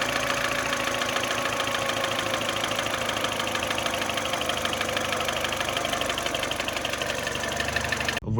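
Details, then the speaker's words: R56 Mini Cooper base with original N12 engine at 160k miles, at idle: a fast, hollow knock over a rattly running sound. The owner attributes it to piston slap from stuck rings or a damaged cylinder wall; it is louder on cold start. "it's a pretty annoying noise to be honest with you at idle especially"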